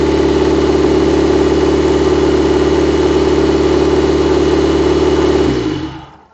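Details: Mitsubishi 4G67 engine's first start after a long rebuild, work not yet complete: steady, even run for several seconds with no knocks or misses, then switched off and winds down; normal running.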